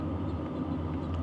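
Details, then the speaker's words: BougeRV portable diesel heater, glow plug off, blower and fuel pump on, fan settling down after startup to low setting; steady even fan roar with faint fuel pump tick underneath, audible but not loud; running normally. "And now you can hear that fan start to settle back down. So, it's not nearly as loud as it was. The fuel pump, I can hear it. It's not loud."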